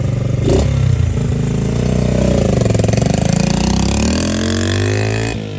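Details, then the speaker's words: Honda XL70 K0 single-cylinder after engine and throttle work, started on a chilly mid-40s°F day: starts and settles into a steady, even beat, revs rising and falling smoothly with no knocks or misses; runs and rides nicely, healthy. "and we actually took the bike on a ride and rode it up and down the street, and it runs and rides really pretty nice, actually."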